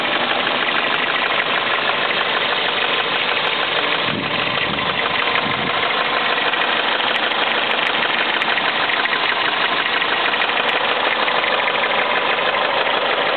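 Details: Toyota Celica at warm idle: light steady ticking knock keeping pace with idle speed, absent when cold and starting once warm; oil level full, dealer suggested fuel injectors, owner suspects rod knock; unconfirmed.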